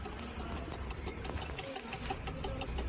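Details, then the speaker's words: Car with a new key: once switched on, the flasher unit clicks loudly by itself at a few a second over a low engine rumble, sounding like the indicator is on although it is off. "नई वाली चाबी on करते cut cut cut cut के आवाज आ रही है जो indicator देने प आती है"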